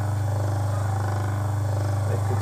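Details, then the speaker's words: Orient stand fan after its tight, jammed bush was cleaned and the fan was reassembled, with no bush or shaft replaced: steady low hum, spinning freely and evenly with no scraping or dragging. "আরামসে ঘুরছে, একদম ইজিতে ঘুরছে,"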